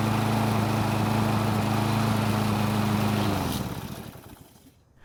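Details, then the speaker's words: Toro lawn mower, hard to start; after starting the engine surges, speed hunting up and down in waves instead of one steady tone, before dying away. "as you've just heard it doesn't run at one tone it's going up and down and i hate to say it but it's more noticeable in person"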